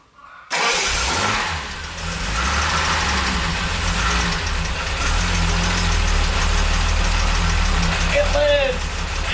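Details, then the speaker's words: 1975 Jaguar XJ6 six, first start after head rebuild by machine shop, possibly flooded: brief crank, fires and settles to steady, even idle within seconds; runs fine, some minor issues to solve. "up and running all right some aed issues but that can be solved"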